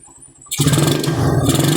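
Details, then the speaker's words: Suzuki Raider 150 with a 28 carburetor, idle tuned by finding the smoothest running point and then lowering the idle: the single cylinder settles into an even, stable putter with no misses or surging; it misfires slightly when revved. "Yun ang pinakamagandang menor niya. Ayan stable yan mga bro."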